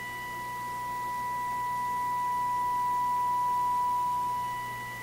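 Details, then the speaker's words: Viking console stereo on an RCA WR-52A FM signal simulator, recently switched on: steady test tone slowly swells and sags in loudness; owner suspects tuning drift or misalignment, unconfirmed, investigating FM fading. "So the radio may not be adjusted properly, may not be aligned properly. 8. You can certainly hear it in my ears, a variation in the tone, but so that's about maximum."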